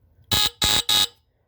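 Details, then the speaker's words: Tanita No. 2 heat alarm, battery fitted, test strip pushed: three sharp shrill high-pitched buzzer blasts about a fifth of a second each; alarm works properly. "cool sounds a bit lower anyways that's pretty cool um really interesting I'm glad they work"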